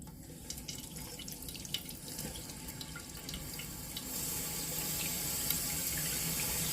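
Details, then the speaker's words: Toilet tank refilling after replacing the Fluidmaster fill valve and flapper: steady hiss of water rushing in, building slightly and running smooth with no chatter as the float rises to shut off; normal refill. "it is filling in a perfect world as the tank fills up this little Bobble will start lifting raising the arm to stop it"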